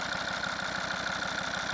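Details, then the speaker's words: Volvo V50 D5 diesel with 142,000 miles, warm idle after a test drive following EGR valve and pipework cleaning: a quick, even tick under a faint pulsing throb. Owner says the lifters are rattly and need doing at some point, but thinks it's okay. "but yeah, the lifters are rattly. I think it's okay. We know we need to do the lifters at some point."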